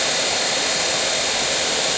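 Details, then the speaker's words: Daewoo Nexia heater blower motor after DIY repair (brushes lapped in), bench-run from a power supply at high current: steady airy whoosh with only faint brush hiss as brushes bed in; extraneous noises gone, motor restored and running normally. "Как видим печка вполне Рабочая то есть вентилятор двигатель мотор полностью восстановлен шумы посторонние ушли вот сейчас ещё слышно вот такой это щёточки доти ется"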